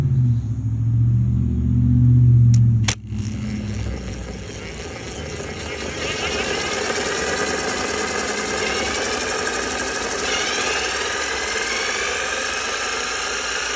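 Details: Whining noise from a 3T22 motor spun by a drill at full speed, about 2600 rpm: a short clunk, then a steady high whine with rising tones; owner suspects worn bearings, not confirmed.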